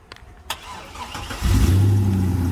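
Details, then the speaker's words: Used Corvette at auction: brief crank, then catches and settles into steady, even low idle with no knocks or misses; normal start and idle, sounds healthy. "sounds healthy"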